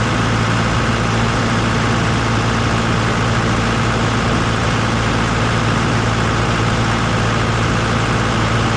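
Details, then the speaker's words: Farm diesel on a service call, restarted after the fix and panel work: low, even rumble holding steady speed with no knocks or surging; healthy idle. "let it run for a little while just to make sure we got her fixed"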